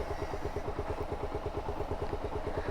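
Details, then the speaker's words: Suzuki SZR 150 single-cylinder engine at idle after timing chain repair; owner says the chain had caused a loud noise on first start. Now an even, steady idle of about eight pulses a second with no ticking or rattle, sounding healthy. "ka nang maririnig na ingay. Dahil nga timing chain lang pala yung may problema, kaya ganong kaingay yung mga nakaraang araw."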